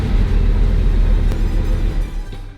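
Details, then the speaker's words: Bugatti Veyron restarted after a DIY oil service and coil pack swap: a deep, lumpy rumble with uneven thumping, running on a couple of cylinders. Every dash light is on, the engine light flashes, and a scan shows multiple cylinder misfires. "Oh, now it's struggling. Oh, it's now it was misfiring."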